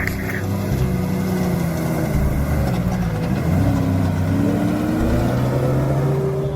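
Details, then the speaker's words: Old two-door Suzuki Grand Vitara convertible, worn out after an Alps trip: runs ragged and uneven, note wavering and stumbling as revs rise and fall, before breaking down; cause unclear. "Here's some shots of that not sounding very good and breaking down. Oh, this sounds so bad."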